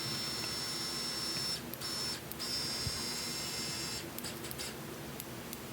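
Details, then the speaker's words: Miniware ES15S electric screwdriver after cleaning and regreasing its metal gearbox to fix a noise, impact setting off: short runs of clean, even high whir with no rattle or grinding; healthy running. "Anyways, yeah, that's how your screwdriver should perform."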